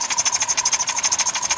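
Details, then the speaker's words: 2005 Dodge Caravan with RMP 3.8 L replacement engine, just past 3-year warranty, after 1,500-mile round trip, not overheated or low on oil: sharp metallic knock repeating about nine-ten times a second at idle; severe internal engine knock, cause unconfirmed. "something's going on in the engine itself on the warranty"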